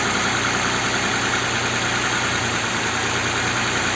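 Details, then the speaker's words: Audi Q7 3.6 FSI VR6, first start after flushing the hydraulic lifters: steady, smooth idle with no top-end tapping. No check-engine light or engine errors; it sounds normal. "вот звук отличный друзья"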